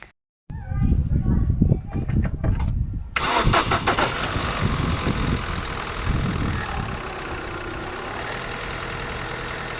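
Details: 2000 Holden Astra with hard starting and long cranking: starter grinds unevenly for a few seconds before the engine catches and settles to a steady idle; faulty crankshaft position sensor found.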